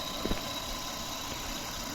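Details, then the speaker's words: Toyota Camry after repair of bad ignition coil and mass air flow sensor (misfire, stalling, long cranking): quiet, smooth low idle with even hum, no stumbles; engine now running smoothly. "ওকে এখন আলহামদুলিল্লাহ কাজ করতেছে দেখতে পাচ্ছেন আর গাড়ির ইঞ্জিনও smooth হয়ে গেছে"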